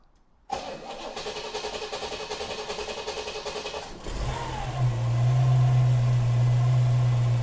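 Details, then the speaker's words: 1934 Ford pickup street rod, 350 Chevy V8 with Pete Jackson gear drive, 650 Carter carburetor, 350 turbo automatic, started cold after sitting overnight: steady cranking about three and a half beats per second, prompt firing, strong even idle; normal cold start. "That's a 350 Chevy right there with a 350 turbo automatic. Andrew's going to start it now, cold."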